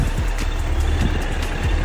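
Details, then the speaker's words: Suzuki GSF1200S carbureted four-cylinder, warmed up and holding a steady 1,000 rpm idle: even, with no misses, knocks or rattles. It sounds healthy. "Звук вот такой он не шумит ничего не орёт"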